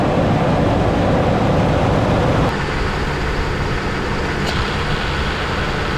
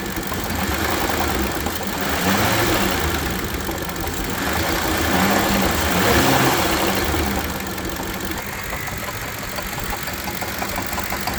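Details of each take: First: 2008 Ford Expedition 5.4L V8 idling after the A/C compressor clutch pulley bearing was replaced: a smooth, steady rumble with no grinding or squeal from the belt-driven accessories. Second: Currently this one sounds horrible and it is basically seizing and will not spin freely anymore.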